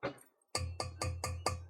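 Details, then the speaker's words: Boiler expansion vessel, recently fitted, tapped during service: five crisp, evenly spaced hollow knocks; vessel rings hollow, so charge is fine and it needs no recharging. "that's nice and Hollow so it doesn't need recharging"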